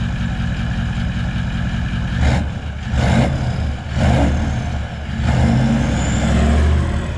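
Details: Four-wheel-drive vehicle at auction, engine blipped: picks up cleanly on each blip and drops back to a smooth, even idle with no knocks or misses; sounds healthy.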